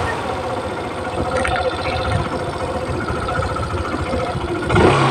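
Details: Suzuki Burgman Street 125 scooter test ride after CVT cleaning and greasing: steady, even drone with no judder, slipping or rattle as it pulls; belt drive runs smoothly.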